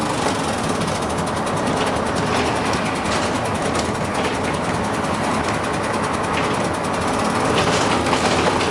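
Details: Dennis Dart SLF diesel bus losing air, with a warning alarm on and the driver revving the engine; busy, uneven ticking at about two per second over the engine note, source unclear.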